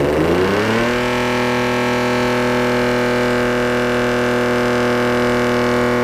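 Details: Mercedes W124 with OM606 turbo diesel, first start on new battery, throttle accidentally held partly down: catches after cranking and flares to a loud steady high idle; high idle with throttle held open.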